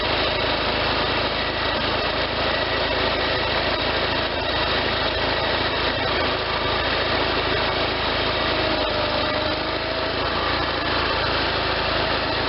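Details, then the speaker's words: Case Ingersoll 448 hydriv garden tractor with an Onan twin, running a few minutes after installing the fully rebuilt N46 deck: a steady, even drone with no knocks, slapping or belt squeal, and the belts tracking well; normal running. "okay just ran that for a few minutes there everything sounds good the belts are tracking good"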